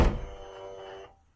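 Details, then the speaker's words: VW Transporter T6 camper passenger sliding door retrofitted with genuine VW soft-close power latch wired to BCM: soft thump then about one-second electric whir as latch motor pulls the door shut; working properly. "so you probably heard it there and i'll just do it one more time over here you'll probably hear the motor working as well"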